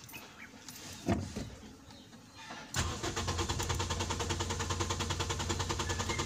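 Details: Toyota Vios: after a quiet pause the starter cranks in steady pulses, about three a second, and the engine never catches, a hard start; check valve/regulator suspected, not confirmed.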